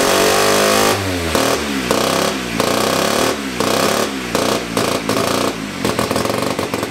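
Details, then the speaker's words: 1975 Hercules W2000 KC27 294cc rotary, 5-speed, ~30 bhp, fully rebuilt, kick-started, carburetor tilted. Raspy buzzing idle blipped repeatedly to higher revs, picking up cleanly each time; sounds like a rotary, normal running. "it sounds so excited dude it's a freaking prat it sounds like it it sounds like a rotary guys"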